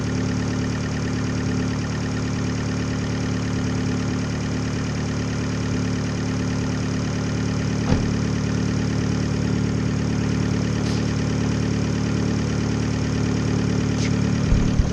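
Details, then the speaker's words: 2013 Fiat 500 Abarth turbo petrol engine on its first start after a DIY Eurocompulsion front-mount intercooler install. It holds an even, steady idle with a regular pulse and no misses or knocks and idles healthy. "walkthrough, making sure everything's connected. Alright, let's fire it up. First start with an FMIC."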